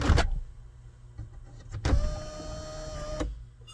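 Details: 2014 GMC Sierra SLT 4WD 6.2L L86 after the sunroof initialization teach procedure appeared to fix its intermittent operation: a clunk, then a smooth steady whir for about 1.5 seconds that stops cleanly; sunroof drive works normally.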